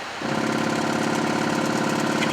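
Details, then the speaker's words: Air Canada Boeing 767-300ER cockpit, stall warning test: first officer's (right) control column stick shaker gives a rapid, steady mechanical rattle that starts abruptly and holds, warning of approaching stall; working normally. "So, the left one, you can hear that. That's the captain's uh control column shaking. That would be warning you that uh-oh, we're about to approach a stall."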